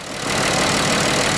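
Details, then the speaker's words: Mercedes-Benz W210 idling on a motor tester while ignition coils are checked one by one: rough, uneven hiss and shake as a coil is unplugged; misfire confirms that cylinder. "Катушканы тексеретін боламыз. Катушканы бейтіп көрдіңіз бе, мотор ойнап"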